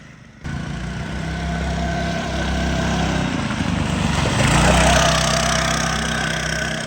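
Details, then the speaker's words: Redfox 200 two-seater off-road go-kart after a gearbox fluid change, refilled short of enough fluid following a leak: steady engine drone with a whirring tone that climbs as it pulls. Gearbox whine suspected, cause not confirmed. "So, you might hear this worring noise. We changed the gearbox fluid, but we had to drain out what we had in it."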